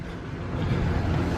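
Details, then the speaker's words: 2006 Dodge Ram 1500 Megacab project truck, V8 started after purchase before refueling: deep, steady low rumble with an even, unbroken beat and no ticks or knocks; normal idle, "she is purring." "Yeah, look at that. She is purring."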